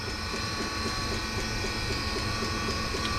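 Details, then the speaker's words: Almost 40-year-old Eberspächer D3L diesel air heater during restoration; after flame detection the glow plug stops and the fuel pump keeps running; steady combustion roar with light regular dosing-pump tick about twice a second; normal running. "so now we can hear the glow plug is also the pump started and now let's say that the sensor detected the flame the glow plug stops and also the fuel pump keeps on running"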